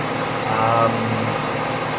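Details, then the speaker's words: 2004 Ford Territory 4.0L Barra engine after replacing the intake manifold gasket to cure a leak: smooth even idle with steady low drone, no hiss or whistle; leak gone, normal idle. "Going to give it a start and see how we go. I can't hear the leak anymore. So, that's all fixed up pretty good."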